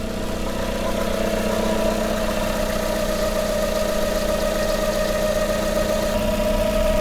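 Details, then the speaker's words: Hyundai Tucson first start after head gasket work, idling on its own: a steady mid-pitched whine over an even idle; owner suspects a belt bearing too tight or failing, and the noise later fades. "I think my bearing for my belt might be too tight or just going right now."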